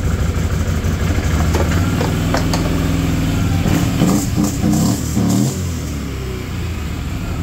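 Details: 2010 Can-Am Outlander 650 Max after fuel pump replacement (pressure was 20 psi, now 51 psi spec): even idle, a brief clean blip of revs dropping back smoothly; normal idle.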